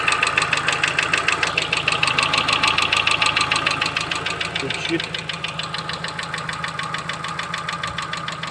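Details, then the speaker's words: Chevrolet Cruze after an oil change with a five-minute engine flush: sharp, regular light ticking at about three per second over a smooth idle persists; hydraulic lifters are suspected (16 ordered), cause not confirmed. "Так, ну, стук никуда не исчез. Сейчас заведу. Тук никуда не делся."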